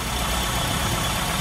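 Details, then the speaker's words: 998 automatic with points ignition and a split, detached vacuum pipe, before tuning; uneven lumpy idle with irregular low beat and hissy edge; rough idle from split vacuum pipe. "so quick First Look got vacuum part that's uh split and come off and we got points ignition"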